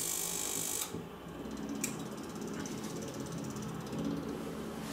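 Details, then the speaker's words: Electronic kerosene heater after full disassembly and cleaning: short ticking burst as the igniter fires, then a soft steady burner hum. Some smoke is normal after cleaning; rear fan runs and burner lights. Normal start-up and ignition. "Donc là il s'est mis en route. Il se rallume. Voilà. Donc là, le ventilateur derrière fonctionne."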